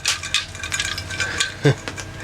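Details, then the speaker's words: Sailboat generator's Hitachi alternator, suspected bad because the generator won't charge properly: irregular metallic clinks and rattles as it is shaken by hand; loose broken pieces inside. "sounds like there's chunks of stuff loose inside I can hear it rattling"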